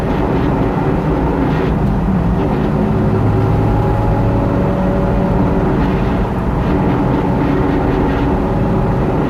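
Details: Jeep TJ on the move, heavy rumble with faint wavering whine/grinding from the rear differential; pinion yoke had significant play and caused it, fixed by swapping in a used Dana 44 axle: rear differential whine from worn pinion yoke.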